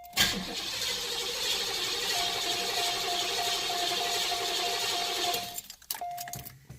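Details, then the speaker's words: 1990 Cadillac that starts cold but cranks without starting once warm; the security light goes out and the fuel pump is heard running. About five seconds of steady cranking with a constant starter whine and no firing. The cause was a failed ignition coil, not VATS. "it will not start so a next logical step you gotta determine for yourself is is it a fuel problem or is it an ignition problem"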